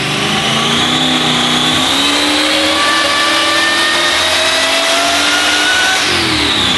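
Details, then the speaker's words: Supercharged (blower) V8 Fast & Furious Dodge Charger on the dyno after a new distributor and wiring fix, with earlier surging. It pulls smoothly to full RPM and redline with no hiccups or stumbles. "He installed that new distributor and fixed the wiring, put it back on the dyno, full RPM all the way to redline, no hiccups, no issues."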